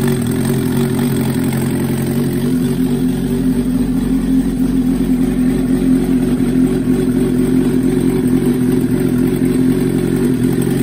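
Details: 1994 Suzuki GSXR 750 on its first start after a rebuild with a Wiseco 1mm-over piston kit and Yoshimura Stage 2 cams. Fast, even four-cylinder idle with busy mechanical chatter but a steady beat and no misses; a normal idle.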